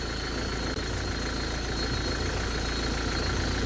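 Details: 2010 Hyundai Verna 1.5 CRDi U1 diesel before a Liqui Moly Diesel Purge treatment, heard from outside at a distance: rough, clattery idle with a harsh uneven knock over a steady rumble; the owner says noise has increased with age.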